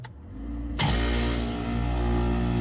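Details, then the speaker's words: Lennox L series rooftop unit that had tripped the building's main breaker, contactor pressed in by hand after restoring power: quiet hum, then compressor kicks in cleanly and settles into a steady, even low hum with no rattle; runs normally. "We are going to stand off to the side and press in our contactor. Sounds pretty good, no issues."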